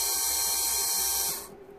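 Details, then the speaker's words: Mitsubishi Shogun with no brakes, ABS and brake lights on from an HBB brake system fault: the removed HBB pump motor, tested on the bench after repair, spins with a high, steady, even whine and winds down cleanly; normal motor run. "it's working lovely okay I think we got it done"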